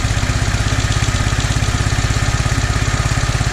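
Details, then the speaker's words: Toro 2CV, freshly reassembled with starter, exhaust and bearing plate refitted after carburettor work: even, regular low chugging tick-over, about three beats a second, no misses or knocks; carb appears improved but still dies when throttle opened. "That is tick over. So there we go. That carburettor appears to have improved a bit."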